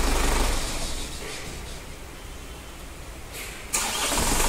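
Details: Chevrolet Tavera diesel after starter motor replacement (old starter wouldn't crank despite solenoid getting current): quick starter spin, short lull, then catches into a firm steady idle; starting healthy after repair.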